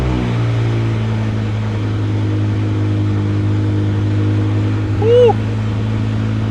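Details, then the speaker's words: 2006 BMW M5 E60 S85 V10, used replacement engine, first start with exhaust off after fuel priming: loud open-header sound settling into a deep, steady, even idle with no misses or knocks; runs smoothly. "Oh my gosh, that was so loud with the exhaust off. But man, it runs. It actually ran really smooth and we didn't have any issues underneath."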